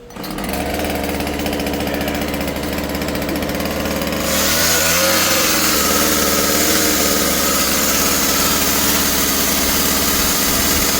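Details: Husqvarna 36 chainsaw after carburetor, fuel line and fuel filter replacement (low screw 1.5 turns, high 2.5): starts and idles crisp, then revs cleanly to a steady high scream without bogging; running healthy.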